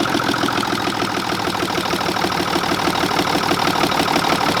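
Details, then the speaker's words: 1960s Mack diesel truck just started, injection pump needing cleaning and injectors needing redoing: uneven clattering idle, about three stumbling beats a second; rough idle, injection pump rack sticking and not feeding every injector. "It is really rough, guys. And I would almost say too far gone, but there it is, Bobo."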